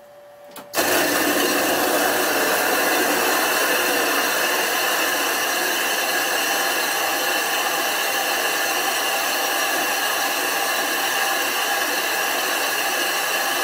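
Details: Machine grinding the back of a 25-inch F3 telescope mirror blank, thinned from 2 in to about 1.6–1.75 in with silicon carbide abrasive and water: a steady, even gritty hiss and hum that holds constant, normal run.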